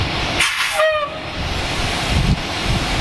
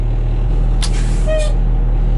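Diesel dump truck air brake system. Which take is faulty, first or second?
first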